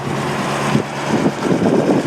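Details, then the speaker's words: 1965 Ford Mustang V8, carbureted, back on the road after 20 years in storage, warm after a four-mile drive: even, steady low idle, maybe a hair fast, no knocks or misses. "think it's idling about right don't you maybe a hair fast"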